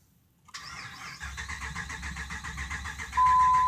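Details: 2005 Dodge Ram 5.7 Hemi no-start with check engine and lightning-bolt light on: steady, even starter cranking with regular compression pulses, turns over freely but never fires. Owner first suspected no fuel; ignition has been troublesome.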